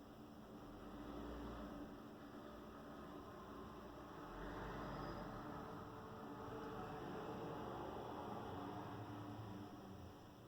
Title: Marantz CD 73 - Strange noise while listening a CD